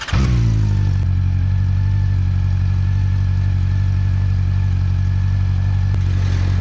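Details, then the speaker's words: 2009 Honda CB400 V-Tec 400cc four-cylinder, about 50 hp, sat for years, fuel pump replaced; next-day warm-up before a ride; smooth, even idle settling after start, steady low hum, no knocks or misses; healthy. "but i'm just excited to ride this thing so let's get it out let's get it warmed up"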